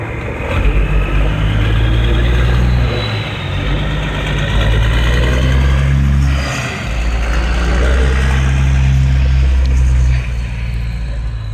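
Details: 1994 Peterbilt 379 after full restoration, first run out of the garage: deep, steady diesel idle with a couple of smooth throttle blips, no knocks or misses; healthy.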